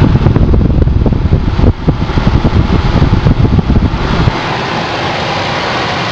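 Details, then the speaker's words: Ford Focus cabin blower, newly installed replacement motor on top speed 4: after some low rumbling, a steady, even rush of air settles in with no rattle or squeal; normal at full speed. "finally 4. Seems to be so much stronger than the last one, huh?"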